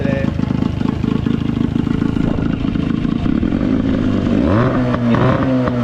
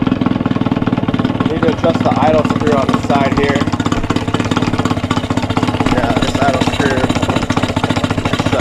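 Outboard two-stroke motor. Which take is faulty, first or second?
second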